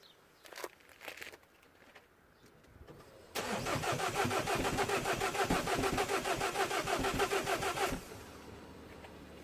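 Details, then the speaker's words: Citroën DS3 1.6 VVT (5FS engine), crank-no-start after head replacement work; earlier broken oil pump or timing chain suspected. Microphone at tailpipe: even puffing about three per second while cranking four seconds, never fires; exhaust puffing, no start. "I heard a puffy noise coming from the exhaust which is now very not very good"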